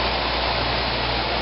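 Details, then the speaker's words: 1995 Fedders window air conditioner, heard from outside with the compressor running: steady, even hum with soft airy fan rush, no knocks or rattles; compressor quiet and operating normally. "and here here it is outside with the compressor running it's real"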